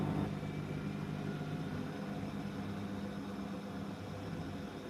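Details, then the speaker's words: Beko DuoSpray front-loader on Daily 60 °C program with a small blanket spinning smoothly in perfect balance: steady, even low hum with no thumping or wobble. "Perfect Balance yeah that's boring"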